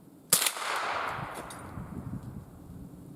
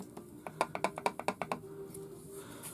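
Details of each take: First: Remington 552 Speedmaster BDL .22 rifle with light rust on barrel and magazine tube, test-fired outdoors at a range on a cold frosty day before servicing; three sharp cracks a few seconds apart, cycling and firing smoothly without a hitch. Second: Remington Model 552 Speedmaster .22 rifle shaken: quick burst of light wooden clicks, about ten a second, from play between the magazine tube and forend despite a tight screw; fixed by a thin plastic shim.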